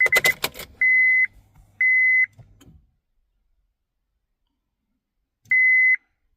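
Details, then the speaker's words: 2004 Honda Civic, key turned on: clear, repeating seat belt warning chimes that go quiet and then return, caused by a dirty buckle switch that needs cleaning. "I'm going to turn the key back and over again you'll hear that distinctive beep tone is that switch"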